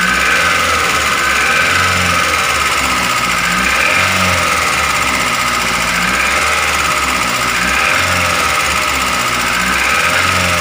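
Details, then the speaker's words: Daihatsu Gran Max engine, running before teardown: harsh rattly running with rapid ticking over the engine beat; piston, bearing or valves suspected. "suara saat mesin hidup itu kasar seperti ini makanya kita akan membongkar untuk melihat apakah dari piston dari metal atau dari klep yang bunyi"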